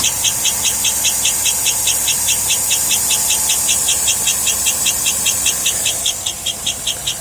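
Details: 2007 Cadillac Escalade: sharp high-pitched chirp about 2.5 times a second, speeding up with engine revs, still present with all belts removed; source undetermined.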